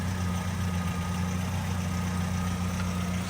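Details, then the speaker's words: 1966 Chevrolet C10 crank no start: steady, even cranking that never catches; no fuel squirting or reaching the carburetor bowl. "But I'm not seeing any actual fuel. Does it come into the bowl? It doesn't look like it."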